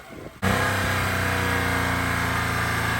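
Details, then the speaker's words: Mitsubishi Mirage after water was burned out of the fuel rail and injectors following flooding: engine settles into a steady, even run with no stumbling or misses; running cleanly after rev-off. "Well, Andy did a rev off. It seems to be going good now."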